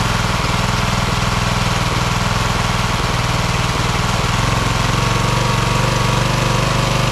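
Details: Craftsman LT1000 hydro lawn tractor, second rebuilt engine, after new EverStart U1-R 230CCA battery fixed no-start: steady low chugging at fast even beat, no knocks or misses, holding speed; normal running, hood reportedly limiting engine speed.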